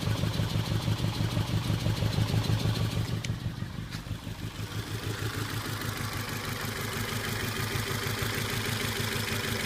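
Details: Volvo S40 lumpy idle with a regular stumble about three times a second; P0303 cylinder 3 code, but compression test showed none on cylinder 4, which had two dropped valves. Misfire from dropped valves.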